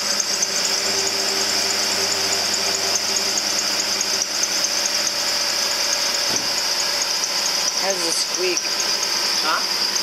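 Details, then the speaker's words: Ford F-150 with K&N air filter, just started after reconnecting hoses and sensors: steady high-pitched squeal over the idle right after startup, attributed to the accessory belt though not confirmed. "has that squeak oh a squeak that's just a go all right that's G it's the belt"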